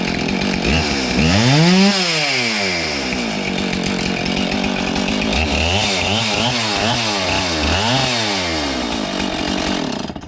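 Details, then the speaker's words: Husqvarna 576 XTorq chainsaw revved after reattaching a cracked muffler that had lost its mounting screws: crisp blips rising and falling cleanly with no popping or exhaust-leak hiss; runs healthy. "Well, I think that's a wrap. Pretty good."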